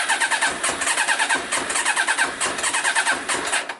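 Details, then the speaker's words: Yamaha Diversion (possibly 600) that wouldn't start, with water in the fuel partly drained; cylinder two suspected of not filling: starter churns as the engine catches in ragged bursts, never a clean idle, fuel still saturated with water. "Yeah. But I think it's still saturated. So we're getting rid of most of the water. It's just obviously getting enough petrol to it, you know, to to ignite."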